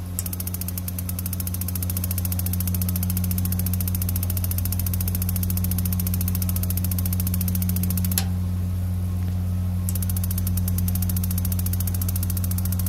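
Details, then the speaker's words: 18L tankless gas water heater with water running and gas supply on: rapid steady igniter ticking about three per second over a low hum, pause, then more; igniter sparks but the gas solenoid valve never opens, no ignition. "I will click on the unit then it won't look and the igniter just goes and goes and goes and you can hear that the Scylla no it won't open"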